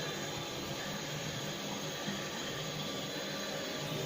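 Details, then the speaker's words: First test of a newly installed upstairs macerator toilet with the toilet and sink temporarily connected; pressing the button gives an even, steady whir and watery rush as it fills, with no knocks or rattles; the pump is running normally. "so now I've connected the toilets temporary like and the sink and we're going to try pressing sounds like something filling up with water"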